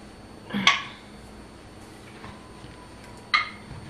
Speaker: oh i can hear i hear that pinging that's only good that's a good thing about um the tens is that yeah that pinging everyone loves that painting it's easier to tell when things seal when it pings